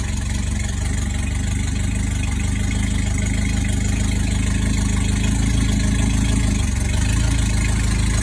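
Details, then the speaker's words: Abandoned Toyota Tercel SR5 wagon: low lumpy idle with uneven wavering pulses; only ran with throttle floored, owner suspects ignition or valve timing way off, possibly a tooth, not confirmed. "I'm thinking the timing is way off. That's probably because if I gotta hold it to the floor to make it run, timing's off."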